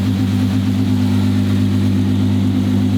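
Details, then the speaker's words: Twin-turbo V12 Ferrari at idle on first shakedown, no load or boost yet, kept under 4,000 rpm: smooth, even low hum with steady tone, no knocks or misses; healthy idle. "sounds really cool at idle it's got that V12 hum to it"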